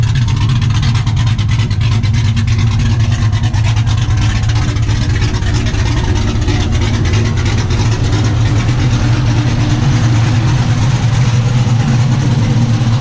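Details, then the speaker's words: 1991 Camaro Z28 with a 5.3 LS swap, TSP cam and Holley Sniper EFI, mufflers deleted for a 3-inch two-into-one straight dump before the axle: deep, loping open-exhaust rumble at about three pulses a second; steady, even idle. "it's been an idol sounds pretty good but it's got i mean it definitely sounds like a 5'3 now"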